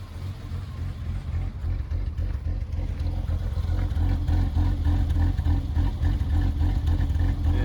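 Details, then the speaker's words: BMW E30 petrol six, long-term rich running with black smoke: low lumpy idle with uneven pulse, rough idle; compression about 135–160, fine. "as you can see it's got a little bit of a rough idle"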